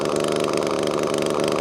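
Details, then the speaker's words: Echo ES2400 leaf blower with replacement copy carburetor, mixture screw turned in restricting fuel: high, buzzy two-stroke whine with uneven flutter, barely wants to run, before screw is backed out. "I'm going to screw this this one in which will make it run like an absolute Pig and that's restricting fuel let's turn it on Mick now listen it doesn't want to run at all"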